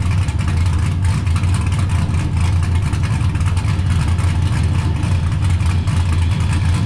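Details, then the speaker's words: 1969 Camaro with swapped LS V8 and T56 from a GTO donor, built nine-inch rear, started after a couple of months sitting, following ride-height shackle fix; heavy throaty idle with steady cam lope, no knocks or misfires; sounds good, normal idle. "she's out in the Sun damn it sounds good"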